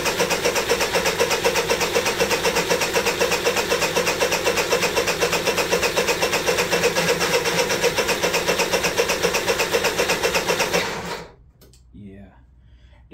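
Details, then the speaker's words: Honda EU3000is generator, pull-starts but not on electric starter, new battery and charger, spark checker fitted: even starter chug for eleven seconds, never catches, no spark; battery ruled out; cranks but no start. "put spark checker on it let's crank it over nothing and that's what we found earlier this year so um battery not the problem"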